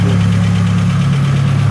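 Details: Chevrolet S10 engine's first start: steady, even low hum with no knocks or misses, settling into a smooth idle, to be left running to lubricate and warm up.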